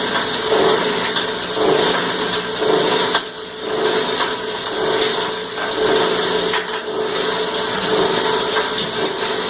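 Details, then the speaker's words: Cumberland granulator chopping about 10 pounds of copper wire: loud, gritty chopping that surges and eases about once a second as the material tumbles, noisier while grinding; normal operation under load. "Alright, we ground about 10 pounds of wire. A little bit more noisy when it's grinding. And you can hear it surging as it's rolling it around."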